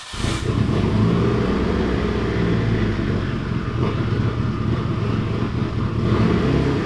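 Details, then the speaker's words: Built Mitsubishi Evo 8 (Manley rods, Wiseco pistons, HKS 272 cams) on first start-up, in gear with wheels spinning to simulate driving; loud ragged running with irregular pops and cracks: misfiring and backfiring, cause not yet found. "as you guys can hear they're still clearly something up with the car it's just popping like crazy when I put it in gear and try to like simulate driving"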